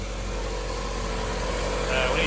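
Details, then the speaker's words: 1990 Honda CRX HF with a freshly installed CRX Si engine, first start, warming up with no check-engine light and timing still to check: an even, settled idle with a steady low hum, no ticking or stumbling, healthy. "yeah sounds a whole lot better now don't it yes just give it a minute to warm up and we'll we'll rev it and see what it sounds"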